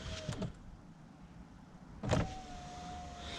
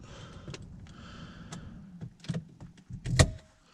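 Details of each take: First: Saab 9-5 power window after first silicone lubricant application to channel: two short motor runs with whine sagging slightly in pitch; glass still dragging, only slightly better. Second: Saab 9-5 power window after overnight silicone lubrication of channels: low steady motor hum while glass travels, ending in a couple of clunks as it seats; no dragging; ticking is window unsealing, normal.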